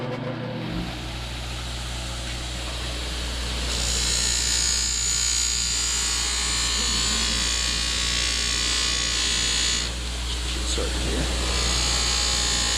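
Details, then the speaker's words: 1963 Lincoln Continental power window: steady motor whir with a harsh, high scraping hiss as the glass travels, because the window felt is worn and the trim pieces ride on bare metal, damaging them. "Alright, so we just wanted to get a video of a good example of what it looks like when the window felt wears out and you have your trim pieces riding on bare metal."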